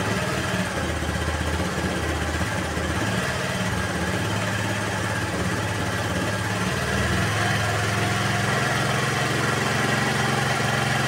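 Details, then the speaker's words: Honda Vario 110 (KVB) carburetted scooter that had a hunting, unstable idle, after adjusting the left carburetor air screw (reference about 2.5 turns); choke also faulty: low, even idle with a steady beat and no hunting or stalling, idle now stable. "tuh ya perhatikan dia langsamnya lebih stabil kan ya langsamnya lebih stabil karena dari setelan yang di sini itu belum gak pas"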